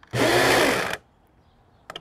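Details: Old electric pressure washer, reassembled, water connected: motor spins up at once to a steady buzzing whine for under a second, then stops cleanly; motor is fine, but the pressure mechanism sticks.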